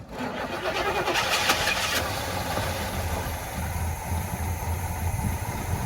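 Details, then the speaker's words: 1985 Chevrolet C10 with a 305 V8, sitting 10 years, started with fuel poured down the carburetor: brief cranking, then it catches and settles into a steady, even V8 idle with oil pressure showing, no knocks or misses; healthy. "F right up in idles look at that do we have any oil pressure oh yeah look at that"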